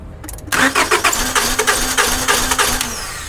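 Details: 2001 or 2002 Honda Accord (6th gen) that won't start; starter cranks evenly, about three compressions a second, never catches; spark confirmed, fuel pump relay next suspected, no fuel reaching engine.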